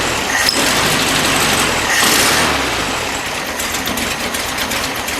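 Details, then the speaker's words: 1973 VW Beetle with new carburetor, 009 distributor, cold start; owner suspects it's jetted a little too lean. Busy, buzzy idle whose beat wavers, roughly 160 beats a minute. Rough idle, mixture suspect. "I've got the new carburetor on here everything's installed and I mean really don't think it's headed right for the double O 9 distributor I think it's running probably a little too lean jet a little too lean"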